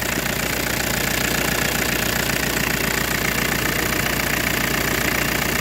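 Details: 2000 Ford Mondeo 1.8 TD diesel at idle while the steering wheel is turned: clatter with a harsh, hissing screech from the slipping power steering pump belt.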